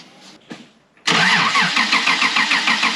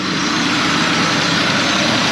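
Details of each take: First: 1995 Honda Passport (Isuzu Rodeo), losing power and hard to start: steady starter cranking about three turns a second for five seconds, engine never catches; zero fuel pressure and no fuel at the regulator, so it won't fire. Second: 1995 Honda Passport (Isuzu Rodeo), hard starting and power loss suspected from fuel system, fuel pressure measured about 38–40 psi as specified: starts right up into a steady even idle with no knocks or misses; normal idle.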